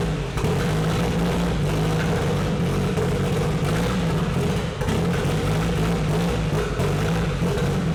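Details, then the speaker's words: KA24DET-swapped Datsun 510 wagon on MicroSquirt, first start, no idle air valve: engine barely holds on, uneven and lumpy with throttle blips to keep it alive; timing stuck at 15° and very lean mixture. "uh runs like because it's stuck at 15° timing and it's super lean uh when I was trying to Revit there just keep it alive"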